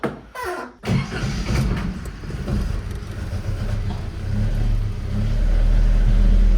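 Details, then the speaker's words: 1979 Datsun 620 after misfire work, before fitting a remanufactured alternator, catches after a couple of cranks and runs smooth, low and even on all four cylinders with no misses; charge light still on. "there's four cylinders, which is great."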